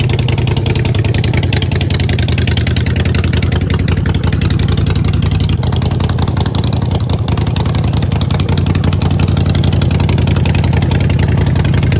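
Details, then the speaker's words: Neglected 2008 Harley-Davidson Sportster, primary fluid not changed: loud steady V-twin thump at a quick even pace, no knock or miss; runs really good with some power. "But overall, she runs good. She runs really good. Actually, she's got some power. That's for sure."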